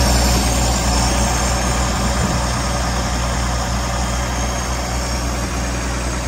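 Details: 1965 V8 after turn-signal switch and wiring repair, idling on choke after start: smooth, steady low rumble at an even idle, no misses, knocks or hunting; later just over 190 degrees, charging 14 volts.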